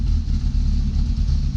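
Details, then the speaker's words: BMW E30 with swapped V6, cold start: low uneven idle beat that swells and sags, juddering in first gear when cold, black plugs; owner suspects an air leak near the pump, unconfirmed; runs fine when warm. "donc elles ralentissent calamine il monte un petit peu vous voyez c'est pas stable"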